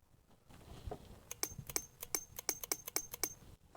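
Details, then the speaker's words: EVAP vapor canister purge valve bench-tested with a powered tester: crisp evenly spaced metallic clicks three or four a second; solenoid switches properly, flow still to be checked with vacuum pump. "So it passes the clicking test. You know that the solenoid is working inside there, but is it allowing the vapors to flow through?"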